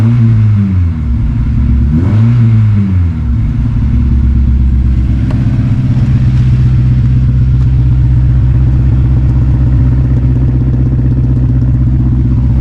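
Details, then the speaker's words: 2006 Honda S2000 AP2, 6-speed manual, wrecked rebuild: after a cold start that missed but cleared up, a brief blip then a steady, even idle with no stumbles or misses once warm. "But once it warms up, no more. See? Beautiful."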